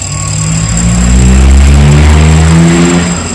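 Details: New, unboxed Kratingdam (Black Bull) TOP 6000 two-stroke chainsaw with a new air filter, longer conrod and 45.2 mm two-ring piston. It climbs to a steady high scream under throttle and holds clean; a healthy chainsaw revving.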